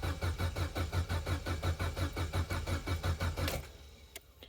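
Starter chugs at a steady, roughly three-per-second rhythm for three and a half seconds, never catches, then stops; cranks without firing.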